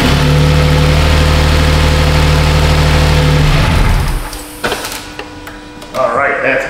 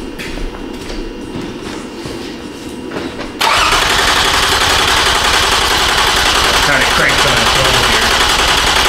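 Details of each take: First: 2007 Toyota Sienna 3.3 after fixing P0340 camshaft sensor fault (previously extended cranking): smooth, even idle with steady low hum, then switched off; runs normally, timing not jumped. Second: 2007 Toyota Sienna 3.3 with P0340 code, cranked while scoping cam sensor circuit: starter spins fast and even for several seconds but never catches; no cam sensor signal, 5 V reference and ground fine.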